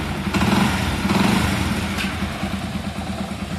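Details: Motorcycle single-cylinder after rebuild with new camshaft, cam chain kit, both rockers and bore kit: steady, even idle with a soft regular beat, no clatter or tapping; running healthy.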